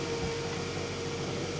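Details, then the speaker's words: 2011 Scion xB 2AZ-FE 4-cylinder, first start after swapping in a used engine: thin steady high-pitched whine over an even idle rush, traced to a heat shield missing a bolt; adding the bolt quieted it. "I do hear kind of a high-pitched noise not sure what that is let's go check that out no check engine lights though well that noise was seemed to be coming from the heat shield"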